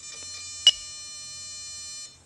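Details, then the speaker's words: RC aircraft throttle servo on a DA70 engine during endpoint setup: thin high-pitched buzz for about two seconds then cuts out as the servo strains against its end stop; shortened to 123 at idle it goes quiet. "so we're a lot closer but we're still not there so what I'm going to do is go ahead and shorten it again okay so idle Max there we go so now we're at 123 and we're quiet"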